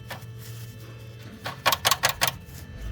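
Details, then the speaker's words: Mercedes SLK R171, exhaust still hot, owner searching for underbody noises: sharp tinny metallic clatters as a torn-off sheet-metal heat shield is shaken by hand, the shield striking through. "ihr hört hier sind wir jetzt fündig geworden äh und Blech abgerissen seht ihr das ja ja ja und da schlägt der halt durch"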